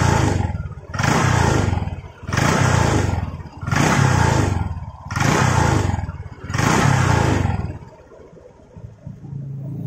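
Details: Honda Vario 150 after repairing damaged, seized exhaust mount bolt threads that caused rumbling noise: repeated short rev blips about every 1.5 s, no rattle or rumble between; normal running.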